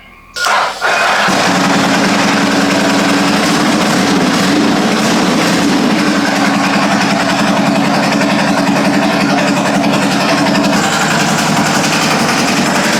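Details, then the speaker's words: Custom land-speed bike with turbocharged 998cc Ducati engine, on race fuel after fuel system primed with good pressure: quick crank and catch, then a steady, even idle with smooth buzzing drone, no misses or knocks; normal warm-up idle. "So, we'll just give it a quick start, let it idle for a couple minutes, and we'll call it good."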